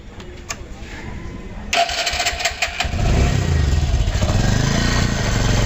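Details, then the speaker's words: Bajaj Discover 135 engine at busy idle with a fast, uneven metallic rattle; timing chain stays slack and noisy even after a new auto tensioner was fitted; clutch side and head cover to be opened to replace the timing chain. "Bajaj discover 135 এই বাইকের engine bad noise হচ্ছে, যা timing chain auto আমরা নতুন লাগিয়ে দিয়েছি, এতেও কিন্তু সাউন্ড অ্যাকুরেট হচ্ছে না বা টাইমিং চেন অ্যাকুরেটভাবে টাইট হচ্ছে না।"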